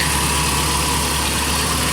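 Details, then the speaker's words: 1986 Toyota pickup, 1988 drivetrain, home-made A/C kit: steady even idle held slightly high with constant hum as the compressor engages the vacuum switching valve to raise idle; running normally. "when the compressor I have it wired up sewing the compressor kicks on it engages that vacuum switching valve it kicks the idle up so I'll pull a little bit extra air through the condenser when the AC is running"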